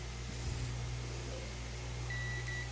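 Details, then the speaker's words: Plasma cutter with no pilot arc, relay repaired and tested: low electrical hum then a steady meter continuity beep as the relay clicks; relay contacts closing normally. "I'm going to try again for if it works okay so we can hear it clicking"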